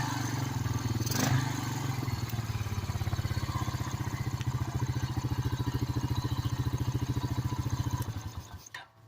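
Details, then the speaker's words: 2006 Honda Rancher ATV, after cleaning a clogged carburetor that made it die without choke: even, steady thumping idle with the choke off, about three beats a second, no misses or hunting, then cuts off; normal idle. "We're idling with the choke off. Sorry for the vibrations. Yep. Seems to be running good. It does not want the choke."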